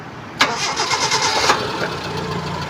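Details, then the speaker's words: 2003 Suzuki Futura Realvan GRV, engine oil old but not low, with no coolant in the oil and no sign of overheating. Starter catches quickly and the engine settles into a smooth, even idle with no knocks or misses, which is normal. "Suara mesin langsamnya normal. Oke, mesinnya masih halus."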